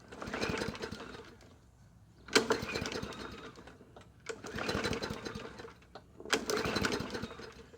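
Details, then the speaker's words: Yard Machines 20-inch push mower needing an oil change: it catches in uneven bursts every few seconds, surging and fading, with gurgling, smoke, and muffler crackling and hissing; rough running, owner suspects a valve adjustment is needed. "Might have to do a valve adjustment on it. Try it 3 times again and see what happens. little smoky. Burning a lot of stuff off, unfortunately. You can hear the muffler crackling and hissing from it."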